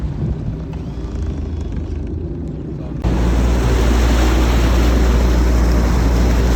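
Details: 1995 Larson 174 with 3.0 MerCruiser Alpha One Gen 2, run after sitting 3 years and replacing trim cylinders, bellows, gimbal bearing: steady, even low drone picking up smooth under way, wind in background; normal running.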